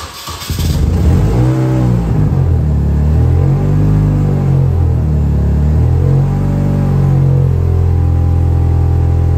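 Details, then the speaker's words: Classic Mini, warming up, trunk open: deep booming low drone swelling with revs, far too loud for a road car; exhaust leaking through holes drilled in the catalytic converter and pipe, to be welded shut. "je vais repercer un trou dans le catalyseur donc bon ça fait un bouquamp pas possible ma voiture c'est pas une voiture de rally euh j'ai pas envie que ça fasse ce bruit"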